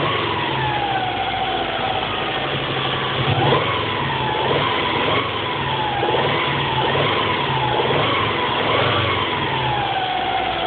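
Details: Subaru EJ22T short block with EJ25D heads, 470,000 km on bores and pistons, new standard bearings and rings: hollow rhythmic knock under whine, warm only; excessive piston slap, fixed by rebuild with oversize pistons, fresh bores, H-beam rods.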